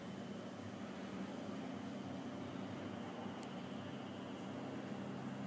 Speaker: down here on the ground there's a hum but that's just quiet i mean really these things are huge